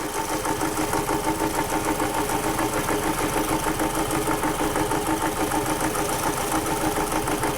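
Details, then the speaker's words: 2006 Toyota Camry running rough with loss of power, heavy vibration and bogging under throttle, active misfire: steady run with a regular stumble about three times a second. The ignition coil produces no arc, confirmed bad, leaving a dead cylinder. "right there we just confirmed 100 that coil is bad uh we've got no Arc coming out of the coil itself like it's supposed to"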